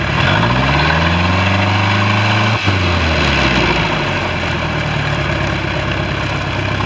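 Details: Bayliner boat with a 3.0 Mercruiser engine, final run after electrical issue and exhaust leak repairs: steady, even idle with a brief rev blip that settles back smoothly; no exhaust puffing or stumbling, healthy normal idle.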